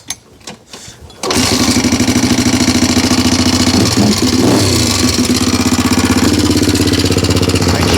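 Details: 1987 Honda 250X ATV single-cylinder four-stroke at idle: sharp, quick top-end ticking over a loping exhaust beat, valve chatter louder than normal; owner plans rocker adjustment to spec, petcock replacement and carb tune, cause unconfirmed.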